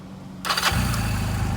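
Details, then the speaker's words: 2009 Honda Rebel 250 at 10,263 miles, in neutral: one push of the starter, a short whirr, then it catches straight away and settles into a steady, even low idle with no misses; normal start and idle. "One push of the button. So it's a good running bike for $800."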